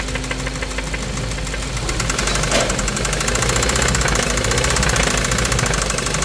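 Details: 2017 Hyundai Kona 1.6 T-GDI petrol engine running with a loud, sharp ticking clatter at about three per second, diesel-like and far noisier than expected for a petrol engine; cause unknown.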